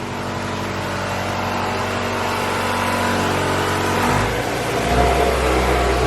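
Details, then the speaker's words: Honda Civic B16A with newly installed injectors and the fuel pressure raised to spec, revving up and settling smoothly with no misfire or stumble; injectors pulse well and there are no leaks. Fuel pressure rises with rpm. Normal revving. "i crank the fuel pressure up so now it's running where it should be let's check for any fuel leaks injectors all sound like they're pulsing pretty good"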